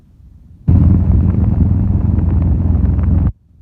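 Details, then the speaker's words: Pedestal high-speed (Farrata) fan after repair of bearing noise; it had run dry. Steady low rush of moving air with no hub clatter or rattle; the earlier noise is gone and it runs smooth and quiet. "तो पंखा देखिए भाई देखिए इसकी आवाज है यहां पर बंद हो चुकी है।"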